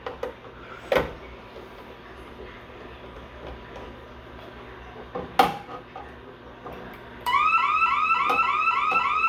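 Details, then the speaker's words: Bosch Radionics 4012/8012 security system demo setup: after a couple of door thumps, a loud warbling siren sweeps up and down about three times a second; intrusion alarm from the tripped warehouse motion zone after arming away. "So now we'll do warehouse motion."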